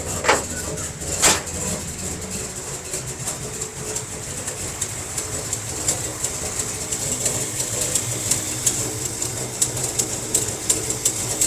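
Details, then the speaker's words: 1957 Chevy wagon barn find with big-block V8, first run in about 20 years after carburetor and fuel pump work: idling steadily with a low rumble and a sharp, fast ticking puff from an exhaust leak somewhere. "Definitely got an exhaust leak somewhere. So it's idling pretty good. Fuel pump is working."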